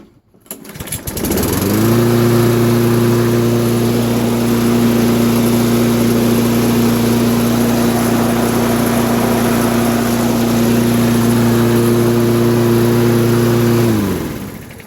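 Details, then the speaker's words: Lawn mower after sharpening and balancing its blade. The engine catches and settles into an even, steady hum with no shaking and no handle vibration, then dies away, showing the blade is balanced. Normal running. "Alright, now the reason I started it is I wanted to show you it wasn't shaking all over the place."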